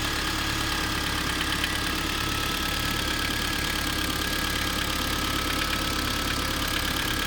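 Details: Kia Sorento 2 engine at steady idle with a faint, fairly even tapping about three per second under the hum; knock at idle, source unconfirmed.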